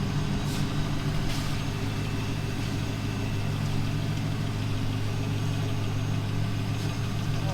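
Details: 1999 Pontiac Trans Am Ram Air WS6 LS V8 idling after headlight motor repair and maintenance: deep, steady rumble with no knocks, misses or hunting; smooth, even normal idle.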